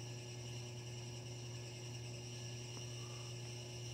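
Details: Hampton Bay Carriage House II ceiling fan running at one speed with a steady, loud, harsh low electrical buzz at constant pitch; cause unknown.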